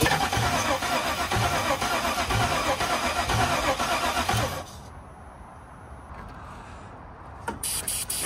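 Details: 2003 Chevy Suburban with freshly swapped engine running without a mass airflow sensor: engine runs smooth and even with a steady regular beat for several seconds before shutting off; sounds healthy.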